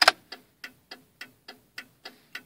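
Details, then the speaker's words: 1995 Cadillac Fleetwood left turn signal: crisp flasher ticks roughly every 0.3 seconds, rate varying fast then slower, from a broken contact tab in the signal bulb socket. "now it's blinking even faster you know like I don't understand it now the headlights won't know it's actually blinking slower now it's kind of fast"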